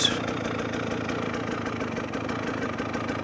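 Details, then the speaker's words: GPX TSE 300 single with newly fitted XTNG Gen 3 Plus carb, warm after a ride: crisp, regular pulses about six a second, no stumbling; crisper pickup than before, when it bogged a little; normal warm idle. "ticking over nicely. But it's um it's just crisp being bring takeover iss beforehand it was it was just but just at that first bit it was just bogging a little"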